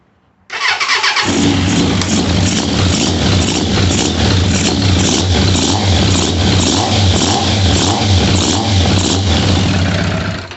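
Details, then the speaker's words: 1998 Suzuki Katana 600, one cylinder running lean; started with little fuel, no tank; uneven lumpy exhaust beat, no clean rev rise; carb plunger not moving and feels weak, faulty CV diaphragm suspected. "this plunger isn't moving up and down so the diaphragm I'm about to pop this open and take a look at the diaphragm I think we might have something wrong up there"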